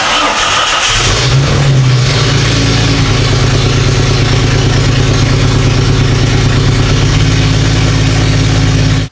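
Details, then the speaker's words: 1997-2001-type Jeep Cherokee XJ (a '99) 4.0L straight-six just after exhaust manifold replacement, muffler and catalytic converter not yet connected: quick crank, then a loud but steady, even idle with no misfire; normal start, some smoke from oil residue. "actually gonna sound really loud because I don't have the muffler catalytic converter hooked up I still I got to do that yet"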